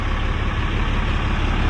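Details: 2008 Ram 5500 with Aisin transmission, DPF and muffler, after a new 6.7 Cummins replaced a rod-knocking engine: deep, steady low rumble with an even beat and no knocks or ticks, a healthy, quiet diesel idle.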